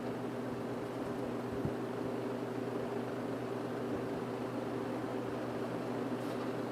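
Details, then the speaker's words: 1950s General Electric automatic reversible box fan, before cleaning, running forward on low; thermostat works. Smooth even low-speed motor hum, soft steady airflow, no knocks or wobble; healthy on low. "I'm not going to run it on high going forward I'll run on high when I reverse it but right now we're going in um here's low the thermostat does work"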